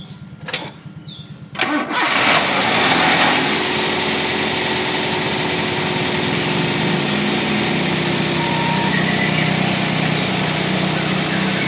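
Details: Car brought in for overheating, suspected of a condenser fan motor that doesn't spin with the AC on; engine started after topping up the radiator. A brief crank and flare, then a smooth, steady idle with no knocks or stumbles.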